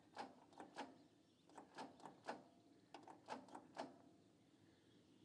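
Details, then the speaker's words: Machine from an estate, key turned to start after preheat: faint sharp clicks in small clusters, no cranking; starter solenoid suspected clicking, possible bad soldered connection at starter, unconfirmed. "okay we'll go one more click on the key just a click from the starter all right let's leave that on let's go back to the starter take a closer look it sounded like the solenoid was clicking"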